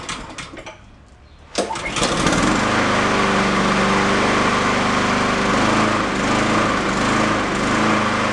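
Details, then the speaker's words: Yard-sale Honda mower on full throttle with choke, warming up after carburettor cleaning and reassembly; catches after a short pull, then speed rises and falls in a steady hunting rhythm; surging, owner suspects a clogged idle circuit. "we'll see if we can get rid of some of that uh oscillation but either that or that idle circuit is clogged and it's doing exactly what I just said as earlier with uh that getting that surging in there"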